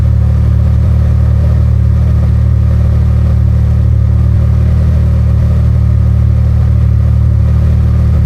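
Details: Can-Am Maverick R with Evolution Powersports flex-fuel system, cold start and run on tested 85% E85 (meter read up to 82%): steady deep rumble holding constant even note, no misses, knocks or hunting; normal.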